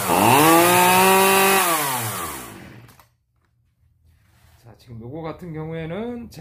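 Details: Zenoah 3800 chainsaw, long unused, started with choke: revs up, sags and dies, restarts with wavering surging note that won't settle; running rich because mixture screws were unscrewed too far, then readjusted.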